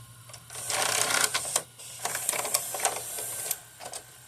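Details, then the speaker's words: Magnavox DVD/VCR combo with a tape inserted: quick whirring and clicking bursts as the loading mechanism wraps tape around the drum, then it goes quiet as the unit powers itself off a few seconds later; cause suspected, not confirmed. "and after that that it will look to tape it around the drum and then after a few seconds later the the uh it turns off"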